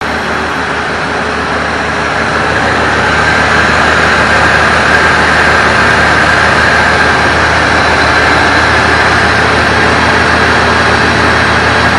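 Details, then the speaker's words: 1965 Plymouth Savoy (Canadian C-body) with slant 6 and automatic, revived after sitting 19 years. Cold and not yet run since the work began, the temp gauge starting to move. Steady idle with a little shake, no knocks or ticks; rough cold idle. "Not running too bad. It's got a little bit of a shake to the engine, but it is cold."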